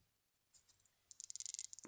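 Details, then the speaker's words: Pink-ring rechargeable ozone generator that started fine, then failed: after a silent start, fast irregular sharp snapping crackles with little ozone smell. High voltage is arcing near the surrounding metal mesh. "it's not really supposed to be making that noise. And there's not much of a smell of ozone coming from it, so I think it's time to explore what has happened."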